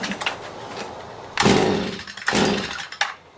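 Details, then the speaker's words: Stihl MM56/MM65 tiller two-stroke, bought used, worsening over three years: two short revving bursts then dies; runs only on choke, carburetor or spark arrester issue suspected. "so it will run on choke but nothing more"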